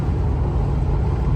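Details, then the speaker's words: Ford Crown Victoria driving on the road after a good exhaust manifold was fitted: smooth, even low exhaust rumble with no clatter or ticking; the old manifold clatter is gone. "if you hear it doesn't have that God awul clatter anymore that it had before it had a good manifold on it it it's very nice to not hear that anymore"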